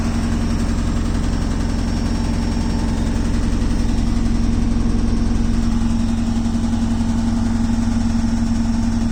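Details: Beko WTK washing machine: steady motor hum with a new even rattle about three times a second as the drum turns; source not pinned down.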